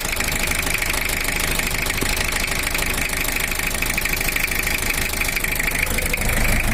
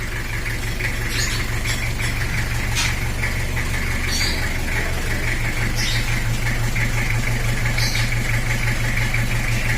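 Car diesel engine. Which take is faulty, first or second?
first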